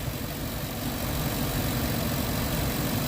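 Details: Ford F-150 engine idling with a steady, low, even rumble and light hiss and no roaring fan, after replacing the thermostat and adding coolant; the fan clutch is no longer stuck on high.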